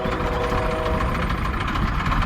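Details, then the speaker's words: Detroit Series 60 diesel, new engine under 10k miles, ~50–55°F, after hard starting: loud, uneven idle, lumpy knocking beat with hissy chuffing, smoking, firing on only 2–5 cylinders, possible exhaust leak; cause not found. "It's still smoking out of the tailpipe. But running really bad. Fired up on 2 or 3 cylinders max."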